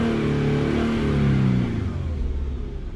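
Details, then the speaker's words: Infiniti Q50 VQ37, 156,000 miles, cold after spark plug change: revs climb lazily and sag back, never reaching full pitch; owner suspects cold engine and an audible intake suction leak near throttle body affecting mass airflow. "Why isn't it revving higher? I think because the motor's cold. That could be it."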